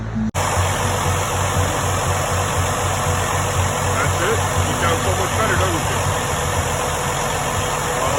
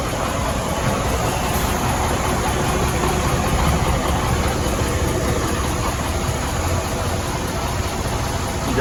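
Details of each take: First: Freightliner Cascadia DD15 diesel after replacing damaged rocker arm screw buttons that caused loud ticking; idles steady and even with low, smooth pulse and no top-end tick; valvetrain sounds healthy. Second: Freightliner Cascadia DD15 diesel idling rough with a loud tick mixed into the clatter, caused by a damaged rocker arm adjusting screw button under the valve cover.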